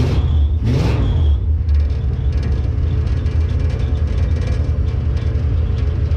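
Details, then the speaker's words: Jeep J20 V8 with a newly installed Holley Sniper EFI that is still learning the idle: a deep, steady low rumble with an even beat and no knocks or misses. Running smoothly, normal idle. "yeah she's running good she's running really"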